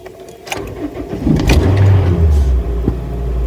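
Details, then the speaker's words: Honda Fit after swapping coil packs and spark plugs between cylinders 1 and 4 to trace misfire on 3 and 4: short crank, instant catch, smooth even idle; misfire gone, likely something not tightened properly earlier. "Oh, that sounds sweet."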